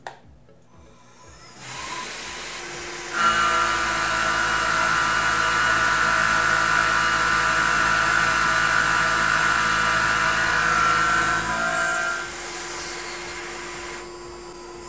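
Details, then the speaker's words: Tormach PCNC 1100 milling aluminum with a 1/2" 3-flute carbide rougher at 3,000 rpm, half-inch depth of cut, 18 in/min (about 3/4 hp): steady, even singing tone with no chatter or bogging; handles the heavy cut normally. "that sounded pretty nice I think the mill actually uh like that cut"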